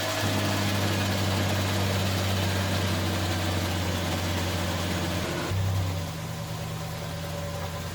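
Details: 1989 Ford Ranger engine swapped into a 1987 Ford Bronco II, first start: catches and settles into a steady, even idle with a deep drone, then drops slightly lower; no knocks or misses, healthy idle.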